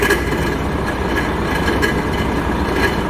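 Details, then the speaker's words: Volvo FH13 truck diesel at idle: rough rumble with a scraping knock roughly once a second; the viscous fan clutch hub bearing is worn, the clutch appears melted inside. "volvo fh к 13 вот такими проблемами ступица могу только повторить ступица разбил отношении откажут"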